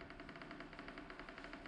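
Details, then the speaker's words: Brand-new Alpicool T50 dual-zone 12V fridge at its first switch-on: quiet, rapid, even fluttering whir from the fan. Owner suspects the noise is because the unit is brand new; cause unconfirmed. "turned on maybe because it's first time anyways this starting the fan is making some noise maybe because it's brand new"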